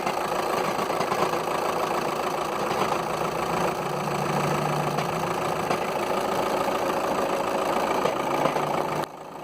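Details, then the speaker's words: 2005 VW Touran 2.0 TDI 140 bhp DSG automatic diesel idling with a loose, uneven rattle and knock; it persists with the climate control on automatic, so it is not the aircon. Worn dual mass flywheel, later replaced. "my dear friend is the dual mass flywheel so if you hear that noise one of two things is either the aircon is gone off but on this instance is not the aircon"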